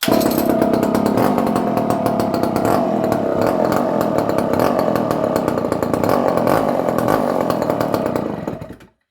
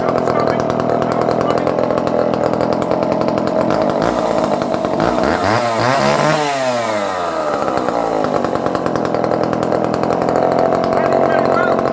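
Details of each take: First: Barn-find Dolmar 118 Super two-stroke chainsaw, circa 1970, stored in a barn for years, quick cold start: uneven hunting idle burble, about 3.5 beats a second, then dies; choke not helping; owner thinks idle carburetion is off. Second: Circa-1970 barn-find Dolmar 118 Super chainsaw, cold started with choke after a few pulls: high buzzy two-stroke scream dipping and recovering once mid-clip, then steady; runs well and oils, idle somewhat rough.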